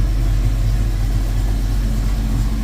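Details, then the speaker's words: 1972 Ford Mustang Mach 1 V8, parked since 2023 and nearly reassembled, started before its first drive out. Deep, steady rumble with an even low beat and no knocks or misses: normal idle. "Sounds good. Running good."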